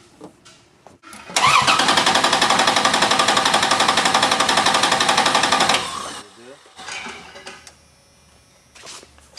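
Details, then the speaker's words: Compression test by cranking with throttle open and low-amp probe on starter positive cable: about four seconds of steady, even cranking, starter current peaks even, each cylinder contributing about equally; normal. "if you drew a line somewhat across here and somewhat across there it would be just about even in other words each cylinder is contributing about equally"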